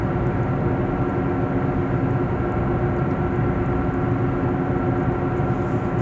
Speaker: be aware that this is the final phase of the problem and that the wheel bearing is on its last legs if you keep driving you're at risk of the wheel blocking